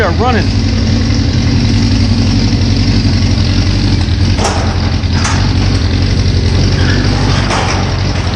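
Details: 1981 Suzuki GS650GL during rebuild, fresh fuel, battery and pod filters, on choke: cranks, catches within half a second and settles into steady, even four-cylinder idle with no knocks or misses. Normal idle.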